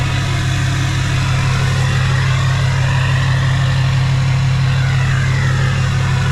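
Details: Hummer H1 Duramax diesel just fired up after sitting 2.5 years on old fuel, primed a couple times: deep even rumble holding steady at idle, no knocks, misses or odd noises; normal healthy idle.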